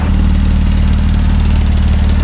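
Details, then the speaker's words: 2008 Porsche Cayman S (987) at steady deep idle with a rapid, even low puffing pulse: exhaust leak at a poorly aligned welded joint after refitting the stock exhaust following a straight-pipe setup. "after i put the stock one back on i had some issues getting it to line back up after i welded everything back up so it kind of has an exhaust leak"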